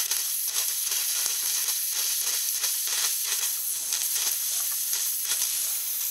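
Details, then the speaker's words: Car cooling system with bubbling noise at heater core when cold: bleed point backed off, steady high hiss with slight spitting and no engine note as trapped air escapes from the cooling system. "so I think what that is it's actually air inside the um getting into the heer core so I try um yeah backing this off letting some air out see what happens"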